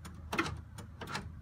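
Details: Mazda RX-8 S1 with a swapped Series 2 R3 drivetrain, new battery: quiet, irregular light clicks a few times a second with no engine running; owner suspects an immobilizer (IDS security) issue.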